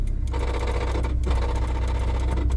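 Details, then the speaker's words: Right-hand-drive swapped Acura Integra manual transmission, engine idling in neutral in cold weather: rapid mechanical whirring chatter over a steady hum; noisy gearbox, fluid found empty afterward, cause unconfirmed. "check it out in neutral let it off oh it's pretty quiet does that mean it'll work oh my God I did not dump the clutch it just did that oh in neutral what could that be"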